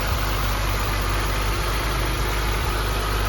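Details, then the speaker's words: BMW Z3 M, neglected and unused for about two years, running again after a part was replaced: an even, steady idle with a smooth low rumble and no knocks, misses or hunting; normal idle. "But chuffed the bits that it's running now."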